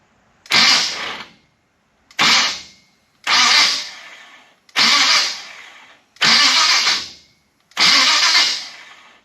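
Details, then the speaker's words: Chevrolet Biscayne after a 1/32 shim was added to the starter, distributor disconnected so the engine turns over without firing. Six short starter bursts; the engine spins over briskly and evenly, so cranking is healthy. "So the distributor's disconnected so it won't turn over. Well, it won't fire, but it'll turn over."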